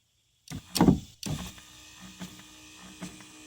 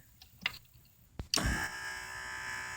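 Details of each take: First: Oldsmobile Alero driver's side power window motor, window not going fully up or down for about three months: short uneven whirring runs with a rough straining note; a fault inside the worm drive gearbox is suspected, not confirmed. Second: GM power window motor and gearbox from an Oldsmobile Alero, after repair: a couple of light clicks, then a quiet, steady whir with no grinding or chatter; repaired window motor running smoothly.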